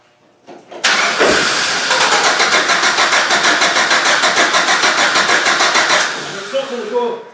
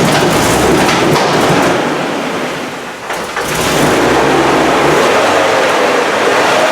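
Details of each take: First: GM Vortec engine project, petrol, fuel leaking at top of tank and fuel not reaching the engine: starter churns steadily at about three turns a second for five seconds with no firing at all; no fuel delivery. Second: GM Vortec engine project, petrol, just started after fixing the missing fuel pump ground, no coolant in it: fires and settles into a steady, even run with no knocks or misses, brief dip in revs; sounds healthy.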